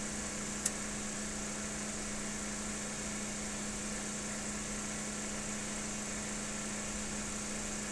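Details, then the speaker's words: Lab synchronous motor under 6 N·m prony-brake load with the field current removed, drawing about 12 A line current. It stays in synchronization on residual magnetism. Steady, even mains-pitch hum, no beating: normal synchronous running under load. "got a line current at 12 amps it's actually still running in synchronization so this this has got enough residual magnetism in it to uh to maintain the uh the load"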